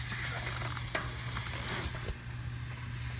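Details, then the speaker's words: Heat pump after customer's own capacitor replacement, technician planning to cut out the drier: steady hiss with faint ticks over low hum, refrigerant escaping at the drier joint, a leak. "see when I put my finger back there yeah she's a leaker Mama she's a"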